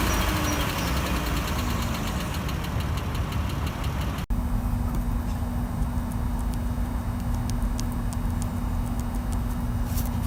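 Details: 3.6L Chrysler Pentastar V6 in a family van: light, rapid top-end tick over a steady hum, before and after repair; owner suspects worn roller rocker arms.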